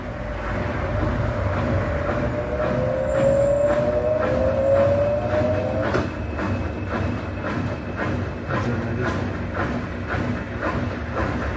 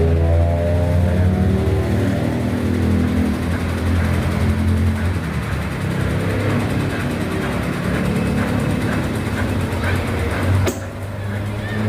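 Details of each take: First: Brastemp BWH15 15 kg washing machine after foam was placed between the tub and the cabinet to stop contact: steady spinning whir with a mild, even vibration rumble and no loud banging; normal spin, noise much reduced. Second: Brastemp BWH15 15 kg washing machine spinning empty: loud, rapid knocking about four a second, louder with laundry, from the pressure switch hose slapping the cabinet as the machine vibrates, not the bearing.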